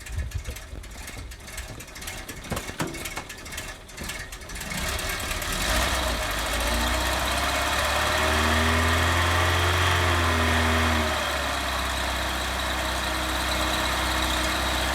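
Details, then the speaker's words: Cold start in the morning: rattly cranking, then lumpy uneven idle with a passing whine as the automatic choke fails to hold cold idle; hydraulic belt also seems to slip until warm. "the Auto chokes not doing well this morning is it"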